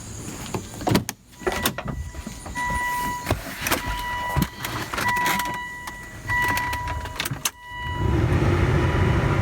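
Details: Dead car jump-started with a Viking lithium-ion jump pack: scattered clicks and chime tones, then a short crank and the engine catches into a steady low idle; normal engine start.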